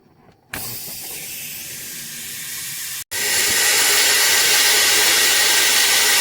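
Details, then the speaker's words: Freightliner truck losing air while driving, even after its quick release valve was replaced: silence, then a sharp continuous hiss from that valve once the parking brake is released; leak suspected from a failed brake chamber. "replacing the valve did not work and this method we have air coming out of this air valve right here which runs into our brake cars so that's only telling me that we have a bad brake pod somewhere"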